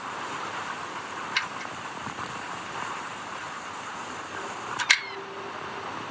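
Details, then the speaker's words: Sony Vaio P11Z netbook, power supply shows output: on power-up, soft hiss with two sharp hard-drive clicks as the drive tries to wake, screen flickers once, then it shuts off and the power LED goes out. "Bildschirm flackert einmal kurz und dann ist Schluss dann geht er aus und auch die Power LED geht dann wieder aus das heißt da ist irgendetwas schief gelaufen"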